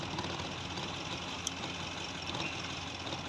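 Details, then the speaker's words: Maruti Suzuki Swift at idle with check engine light, codes P0202 and P0171: steady but slightly lumpy idle over a hissy background, number two cylinder not working, injector 2 fault. "ये 2 number का cylinder का काम ही नहीं कर रहा, इसीलिए 202 की series आ रही है इंजेक्टरों का।"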